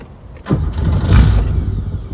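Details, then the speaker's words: Porsche 911 with swapped Subaru EZ30R, first start in 3 years: catches with a sharp burst, runs a second or so, then the rumble sags and dies; owner suspects an ECU issue, not confirmed. "it's just dying on me right there starting and then dying feel like I've got a ECU thing happening"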